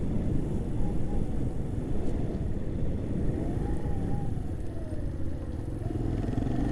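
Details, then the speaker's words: Keeway RKV 125 motorcycle, two weeks owned, riding: engine note climbs sharply between gears then drops as the shift completes; rider not closing the throttle enough, so it over-revs on each change. "Because that's what I do sometimes when I over rev. You hear that, that's where I haven't come off the throttle or not enough."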